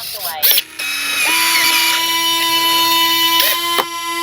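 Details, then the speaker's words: Flightline 1600mm P-51D Mustang RC warbird, after breaking off a little magnetic bracket: short clicks, then an even motor whine for a couple of seconds that stops cleanly; retracts cycle smoothly without binding. "Nose or the tail wheel goes up and down a lot quicker. Hear that last little burst? That's them locking open."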